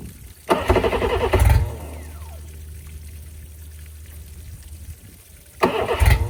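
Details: 2005 Johnson 60hp EFI outboard, after lower unit install and sitting unused a while, water hooked up: two short labored cranking bursts, never fires; battery dropped from 12.1V to about 10.7V after attempts, weak battery suspected.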